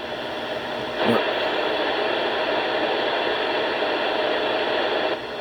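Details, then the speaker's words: 27 MHz CB radio receiving local HF channels: loud static swamps the receiver, with a sharp pulse burst near the start when a nearby modem/router box's power supply is plugged in. That supply is identified as the interference source. "i've just done it three times and i found out where all this noise is coming from finally oh there it is i'll do that again"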